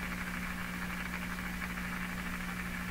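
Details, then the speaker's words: Hallicrafters SX-122 receiver tuned to 4 MHz during signal tracing, output after all stages: harsh hiss, fixed low hum, rough smeared midrange; badly distorted, suspected badly biased tube or tube missing bias, not confirmed. "that that really sounds like I terribly biased tube or tube tube missing its bias or missing its"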